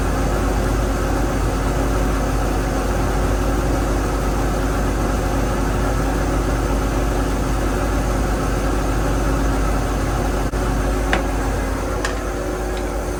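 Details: Inboard engine in a 32 ft Marinette sedan flybridge, after motor mount adjustment to align the propeller shaft coupler: low, steady, even rumble with no knocks or wobble; idling smoothly.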